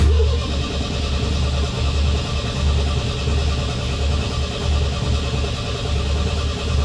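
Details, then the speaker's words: 1975 MGB that sat about 16 years, bad carburetor, back to gravity-fed fuel after a 3 psi electric pump sprayed fuel: heavy uneven low rumble never settling to a clean idle, stumbling and labouring; runs but won't run long. "she's not happy at all well guys i figured out what's happening she's gonna run she won't run long though"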